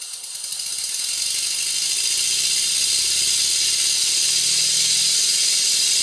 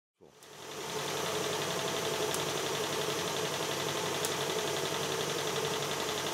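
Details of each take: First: Model steam engine, slide valve valve timing reset with the largest eccentric lobe at 90 degrees to the crank pin, admitting just before top dead center. Quick, even chuff about three beats a second under a constant hiss. Slide valve still blowing. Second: Stuart 7/8 model steam plant in steam on a very cold day in 2021: a soft, even chuff at about four beats a second at a steady pace with no knocks. It is running smoothly.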